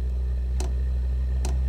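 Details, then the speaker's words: Webasto Dual Top diesel heater run without its ECU, using simple controllers; fuel pump set to 25 ms on and 800 ms off during lighting. Sharp ticks about 0.85 s apart over a low fan hum, a normal dosing pump. "So, I've currently got it set to the 25 milliseconds on and 800 milliseconds off. So, we'll start running that and then we'll see if we can hear when it lights."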